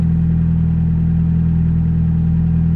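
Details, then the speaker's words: Mazda Miata after R134 AC conversion with SpeedyEFI ECU idle-up on pin 38, AC switched off and on; steady deep idle holds constant, idle changes with the compressor load, AC belt still needs tightening; normal idle with AC on. "turn it off idle changed I'm sure you guys can hear it also put it back on idle changes"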